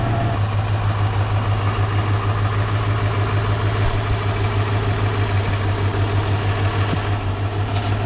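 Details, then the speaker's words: Low, slightly uneven idle pulsing about three times a second on a 1947 Ford flathead truck, just started after sitting 5–6 years, not warmed up: low vacuum gauge reading from a big vacuum leak; idle smooths once fixed. "So I'm showing pretty low vacuum. Usually I got a lot better vacuum than that, so I gotta do some work"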